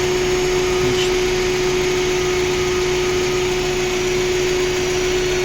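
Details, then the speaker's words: Warm Lada Granta idling on petrol, coolant boiling in the expansion tank and pushing out air: steady rushing hiss with a fixed mid tone over the idle. Suspected blown head gasket or poor antifreeze that cannot hold temperature. "Тобто в нас єсть признаки пробиття прокладки ГБЦ або неякісний антифриз залитий, який не тримає температуру. Ось воно воно бролить."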